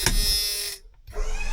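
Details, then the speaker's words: 1994 Ford F-Super Duty dump truck, electric-over-hydraulic dump bed after years of sitting: the pump motor buzzes steadily, cuts off briefly and restarts, but the bed doesn't lift; owner suspects low hydraulic fluid. "This is the control, so this here turns the pump on and this raises and lowers the bed. So, the good news is the pump works. You can hear it."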